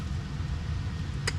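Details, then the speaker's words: Jeep XJ after replacing the spun No. 6 rod bearings. Steady idle rumble with no knock underneath, holding 30 psi oil pressure at idle and about 50 when idled up. Oil pan gasket is leaking and due for replacement. Bottom end now healthy. "But other than that, the motor sounds good now, holding 30 pounds of oil pressure. It's holding 30 pounds, idling, so I like it."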